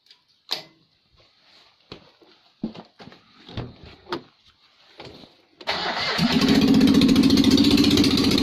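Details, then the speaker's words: Rebuilt Citroën 2CV engine converted to 652cc, Solex carb rejetted, new 123 electronic ignition fitted, no exhaust: after clicks it catches and runs loud, fast and even; normal running, first successful start. "I think we can call that success oh look at the madness"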